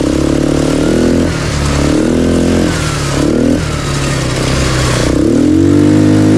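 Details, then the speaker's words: CRZ 150 quad, stock restricted engine, riding two-up: small engine revving up and down with a loose metallic clatter over it; the exhaust has worked loose from its engine mounting and is moving. "on entend des BR bizarres un truc en train de se barrer moi je pense qu'on pe je regarder ah ben c'est le PO qui bouge en fait le pot qui bouge"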